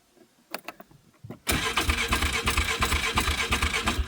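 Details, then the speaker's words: 2002 Polaris Sportsman 500 H.O. with 500 engine hours, chilly day, unstarted for a week, a few pumps and full choke: clicks, then it starts at once and settles into an even, slightly lumpy thumping idle. Normal cold start. "She hasn't been started up in like a week too. Ah, right up. There we go. Beautiful."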